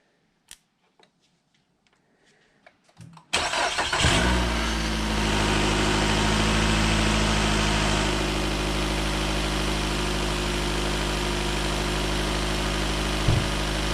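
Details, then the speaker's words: Nissan Altima after new ignition coils and spark plugs, which cured hesitation above 40 mph: clicks, brief crank, catches at once into a steady even idle with no misfire; normal start and idle. "Fired right up. Sounds good."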